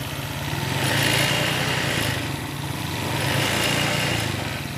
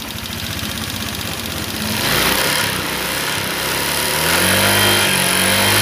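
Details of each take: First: Old Honda Vario 125 scooter after radiator boiling/coolant-loss repair, idling about 10 minutes, fully hot, no leaks: smooth, steady idle about four beats a second, no misses, knocks or hunting; normal idle. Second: Old Honda Vario 125 scooter after full rebuild, radiator coolant boiling issue: busy light clatter over idle continuing as it revs, noisy valve clearance with worn, loose rockers.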